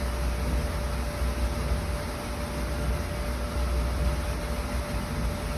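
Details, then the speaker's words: Kenmore Elite dryer after motor replacement, previously speeding up and slowing down, drum and belt reinstalled: smooth, even rush of air with a faint steady tone, no thumping or squealing; normal dryer operation. "Now let's see what it sounds like. Wow. Burn like a kitten."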